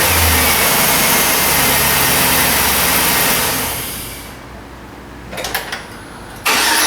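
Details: 2006 Chevy Silverado 1500 after replacing a failed starter (no-crank fault) and original battery: engine fires and runs steadily, no starter grind or stumble; normal running.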